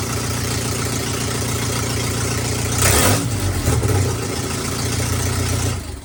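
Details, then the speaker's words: Truck's first run after build, oil pressure built, open header with no exhaust fitted: loud, raw, steady idle with a throttle blip rising and falling cleanly; runs normally, just very loud. "And yeah, that header is very loud. I need to make an exhaust for this thing ASAP."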